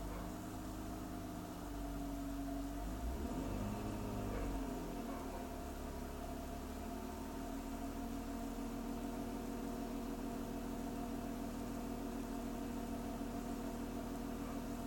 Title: E46 rough idle